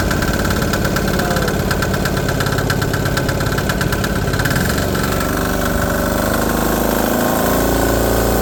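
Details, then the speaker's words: DIY 3HP 1.5kW single-cylinder generator idling on first start after new muffler fitted: loud, even, fast chug at steady speed, no misses; quieter than before but still loud. Runs fine, just noisy. "but much quieter. It's still loud as hell, that knocking, man, and it's idling right now."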